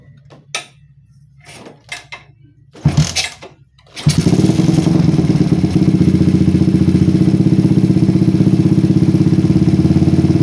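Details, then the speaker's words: PE24 carburetor after moving the needle clip from the middle to the top, with the air screw now about 1 to 2 turns out. It fires after a few clicks and settles to a steady, even idle; the rich unstable idle is fixed. "Nah setelah saya pindahkan ke klip paling atas settingan anginnya dapat guys ya ini di sekitar e 1,eng sampai du putteran angin dan ini cukup normal untuk digunakan sehari-hari idlenya pun berbeda sekali dengan Sebelumnya"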